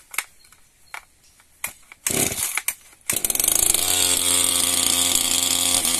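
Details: New small Max Extra chainsaw on its first start. A few starter pulls, then it catches and settles into a steady, even high-pitched buzz with no misses; normal running.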